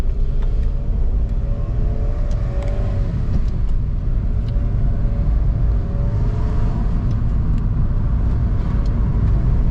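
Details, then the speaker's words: 2005-2010 Scion tC after engine rebuild for low compression: smooth, even running with steady rumble and easy revs, much quieter, no rattle or knock; slight smoke from spilled oil burning off. "huge difference i drove the car and it's the way the engine works it's much quieter it doesn't rattle anymore it doesn't there's no like no any kind of knocking or anything like that so it works great"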